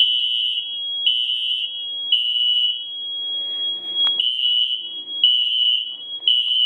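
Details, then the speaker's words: SFP1024 fire alarm panel during system test five: a shrill high tone pulses about once a second with uneven gaps on mains power. It sounds correct when power is lost and wrong again once power is restored; cause unknown. "Hold on, it's not supposed to sound like that. No, I turned the power back on to it and it's acting like that."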